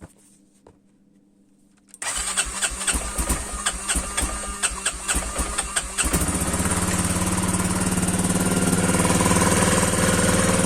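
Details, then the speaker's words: Quad that previously had a starter not turning, cold start: the starter spins briefly, the engine catches within seconds and settles into a steady, even idle that runs slightly high on revs. Normal cold start. "Donc là, il est tout froid. Donc il tourne plutôt bien, c'est juste qu'il est un peu haut dans les tours, mais"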